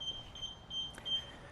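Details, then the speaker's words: Infinity Shield full-coverage garage door sensor (25 optic beams, covers up to 7 ft) on a LiftMaster opener: stepping into the beams triggers short repeated high-pitched beeps and a red light, sensor reporting an obstruction. "Step in the way, beep starts. Have a red light illuminated over here."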